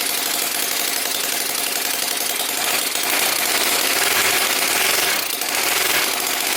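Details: Small Whippet flathead model engine on a test stand with water pump running: fast, busy, even patter with light pump whir behind it; sounds healthy.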